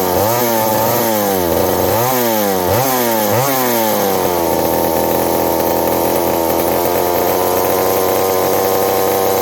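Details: McCulloch 790 (MC101) chainsaw with new 090 carburetor, muffler loosening from broken bolt: revs rise and sag about four times in quick bursts while cutting, then hold lower; surging under load, owner suspects fuel or intake gasket vacuum leak.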